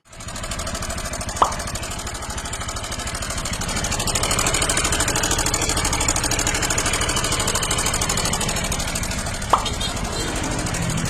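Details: Early-batch Honda Click 160 ABS scooter engine running rough with a fast, uneven clatter. The oil pump drive gear stripped at about 20,000 km, starving the engine of oil, after it was repeatedly restarted when stalling; the engine needed rebuilding.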